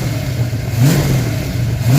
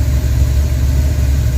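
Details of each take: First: Cold engine won't hold idle: blipped up and down a few times but drops off and dies each time the throttle closes; after a little choke it idles fine. Manual-transmission project car, cheap flimsy throttle cable and bracket, tachometer just wired in. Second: Engine idling smoothly with a steady, even low rumble, no misses or hunting, after a little choke was applied; tachometer just installed and working. Normal idle.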